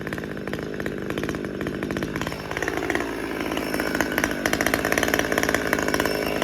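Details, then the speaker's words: Husqvarna T540xp Mark III chainsaw, about 6 months old with performance work, warmed up: idle hunts, surging up and sagging without settling while auto-tune works hard, then shuts off; lean idle. "let it idle for a minute and see if it, you can hear it wants to come up and idle. I don't think we're done yet."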